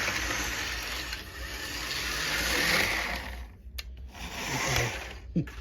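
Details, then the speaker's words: $2 HO gauge locomotive motor with a high, thin whir that briefly dips and cuts out, then picks up again; it runs stiff and finicky, suspected to be because it has not run for a long time. Stiff, intermittently sticking motor. "it's a bit finicky and slightly and sometimes get stuck just because it hasn't been running so long but for $2 it runs very well"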